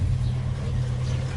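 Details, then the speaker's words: Toyota Kijang Grand Extra SSX at idle: low, soft, even exhaust burble from a non-stock exhaust, no ticking or rasp, with a little water dripping from the tailpipe; normal idle exhaust note. "suara knalpot ketika idel suarnya lembut ya Meskipun enggak standar tapi suaranya lembut kayak gini teman-teman tuh"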